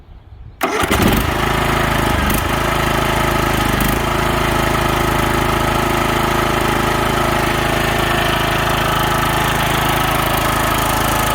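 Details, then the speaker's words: DR field and brush mower converted to snow machine, after repair with cotter pin and washer, in neutral; catches immediately into steady even single-cylinder idle, no misses or knocks; runs healthy. "Works awesome. So smooth, real nice."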